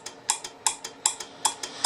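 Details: Collins R-390 receiver, transmit/receive muting circuit repaired; antenna relay K101 and relay K602 cleaned with contact cleaner after about 56 years of gummed grease: crisp relay clicks switching about twice a second with no buzz or chatter. The relays are operating properly.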